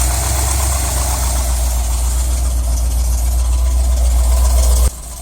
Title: 350 misfiring